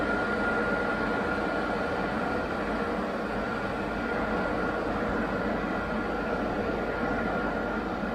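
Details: Classic Range Rover hard-dash plastic heater box, blower motor bench-powered after repair of squealing motor; steady even whoosh with faint constant tone, no scraping or squeal; normal blower run.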